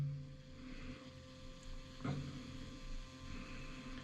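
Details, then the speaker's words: Inline-switched submersible pump pumping water out of a hole, discharge confirmed: faint steady low hum with a few even tones, no knocks or rattles; normal running. "Put it in series and I'm going to turn it on. It's making noise."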